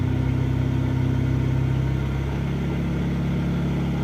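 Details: Mahindra Supro diesel at idle: low uneven pulse and droning hum, a rough idle. Abnormal noise; speaker suspects the injectors or injector pressure system, not confirmed, and advises removing the injectors first.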